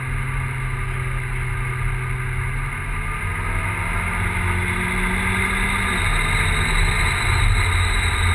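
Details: Big-turbo E85 Volvo 940 turbo four revving with an uneven, stumbling beat and wandering exhaust note; misfiring for unknown reason.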